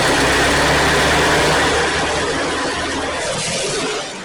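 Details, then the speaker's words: Ford 2N tractor (serial believed 1946), unused for years, just started after cleaning the battery, air tube off the carburetor: steady low rumbling tick-over with no misses or knocks. Normal idle. "which I believe drives down to 1946 2 in and she's running there we go"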